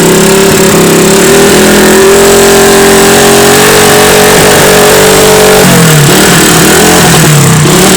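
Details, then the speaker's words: Honda CB 100 motorcycle engine revved up and held high with a coarse, rattly edge, then dropping back; rough at high rpm, owner suspects a worn camshaft and valve rocker arms, to be repaired. "Hei kemungkinan noken as sama platuk klep nya udah agak rusak Hai pada saat RPM tinggi dia Suaranya kasar nanti kita perbaiki lagi"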